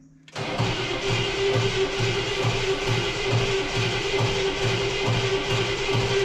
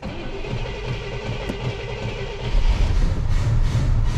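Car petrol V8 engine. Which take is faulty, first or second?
first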